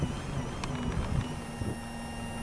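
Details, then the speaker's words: Toyota Corona Premio 7A-FE that loses power and sneezes; voltage at the electric fuel pump rises but the pump audibly runs intermittently, thin wavering hum and whine dipping unevenly; failing fuel pump. "напряжение поднялось но слышно насос работает прерывисто иры vista работает наш насос"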